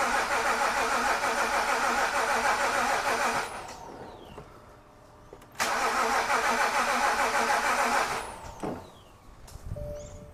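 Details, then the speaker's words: 2013 BMW E93 328i N51 M-Sport, towed in with crank-no-start, first start attempt after draining fuel: two long cranking bursts, steady starter rhythm, no firing. "okay I attempted first start it didn't work"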